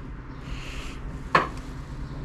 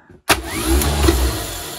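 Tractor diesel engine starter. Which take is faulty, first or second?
first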